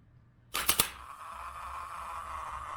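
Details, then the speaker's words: 2000 Acura 3.2 TL original starter motor, about 607,169 miles, removed and bench-tested with a jumper lead to battery positive after a no-crank condition: contact snaps, then a thin, weak whir that never builds speed; the motor is tired and won't roll. "So let's see. Yeah, this motor's tired. It is not rolling. Try it again. Yep, it is toast."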